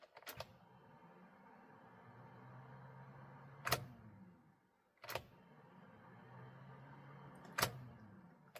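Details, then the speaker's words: 2012 Honda Civic, trying to start: low hum builds for a few seconds then a sharp click, repeating about every four seconds, engine never turns over; starter spins but suspected not engaging flywheel. "It seems like the starter is turning. Starter is turning and then is it won't engage. It won't push push forward to engage to the uh flywheel."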